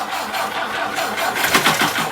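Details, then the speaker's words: 1959 Ford Taunus 17M, first start attempt with fuel leaking from the carbs: the starter churns the engine steadily with no firing while fuel is drawn into the carburettors. It starts shortly afterward. "tom crank it it's leaking out of the carbs just crank it let it get fuel"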